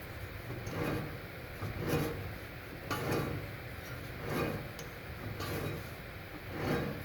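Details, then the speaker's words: 2013 Honda Civic, under 90k miles: front hub spun by hand with wheel and caliper off gives a soft, gritty rubbing swelling about once a second; hum grew louder over months, rises with acceleration, persists in neutral; passenger side quiet, suspected worn wheel bearing. "definitely hear something but I'm still not sure, so I decided to compare it to the other side. The passenger side is quiet, so I think I've found the culprit."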